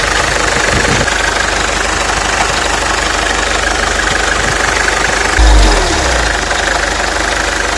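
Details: Mercedes OM604 diesel idling: uneven knocking and crunching rattle, three or four a second, from pump side, first feared timing chain; stethoscope traced to vacuum pump with failed bearings; vacuum pump bearing knock.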